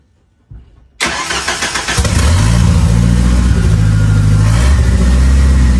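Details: Ford 2.3L turbo Lima swap on a new PimpX batch-fire engine management computer, started to warm up for base timing check: brief crank, then catches and settles into a steady, even idle with smooth low rumble.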